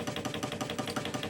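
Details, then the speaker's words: Hegner scroll saw at slowest speed: a steady, quick knock about seven or eight a second from play in the worn cam link connecting the blade arm to the motor cam; damping it by hand removes the noise. "And as you can see, there is a kind of as you can hear, I hope there is a knocking sound, which some people might regard as normal."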